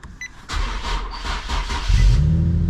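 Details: Crashed Copart car with 3.7 L V6, started on a jumper pack: brief starter whirr for about a second and a half, then the engine catches and settles into a steady run; normal cranking and starting.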